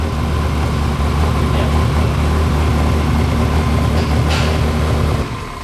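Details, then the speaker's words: Ferrari project car with suspected blown engine, only about 5 to 6 cylinders working, cracked dry intake rubber near air sensor found: loud uneven lumpy run about four beats per second then shutdown; rough running, more than a misfire. "Okay. That sounded horrible. I think there's more than just a misfire here."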